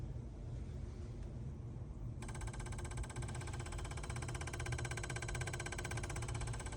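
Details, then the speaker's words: Idling vehicle, cold weather, EVAP purge solenoid actuated via bidirectional scan tool: crisp rapid clicking about four times a second over the idle; solenoid cycling and working. "So you can hear that clicking so we know it's working."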